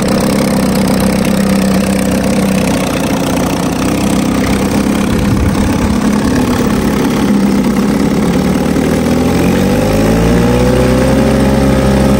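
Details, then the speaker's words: 1950 Johnson HD 25 2.5 hp two-stroke outboard, first start after sitting, carburetor adjusted. It runs with a steady, even buzz, picks up smoothly and pumps water well, but won't hold the lowest idle; points cleaning is planned. "I think some other day I'll have to clean the points because it doesn't want to idle the very lowest. But other than that, it's a pretty good runner."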